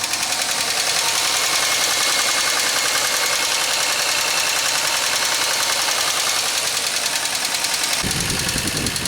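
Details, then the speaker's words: 2003 Pontiac Grand Am GT coupe with coolant-contaminated oil and low coolant, still runs and drives: loud, fast, fairly even ticking over the idle, about 160 a minute. Upper-end noise suspected rather than rod knock, not confirmed. "so you guys want to hear how bad this sounds? Here we go. That definitely sounds like upper end noise."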